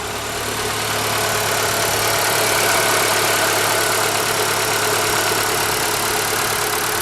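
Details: ZAZ Forza, 2,500 km, fresh 5W-40 synthetic oil, warm idle: light, even ticking about four per second; persists when warm, vanishes briefly on throttle blip; owner suspects hydraulic lifters or injectors, later traces it to an ancillary unit, engine itself quiet.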